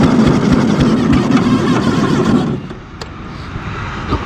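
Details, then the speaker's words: ZT200 mower engine that bogged and spewed oil, suspected from heavy blow-by: quick, even cranking with no firing for about two and a half seconds, then it drops off; no compression. "there's no compression i do want to buy a robot but it doesn't make sense to leave this with no engine"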